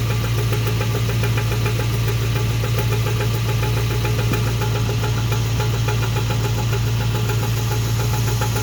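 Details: 2000 Toyota Tundra idling: a steady, quick light knock, a few per second, over a deep hum, from underneath; cause unknown, engine or transmission.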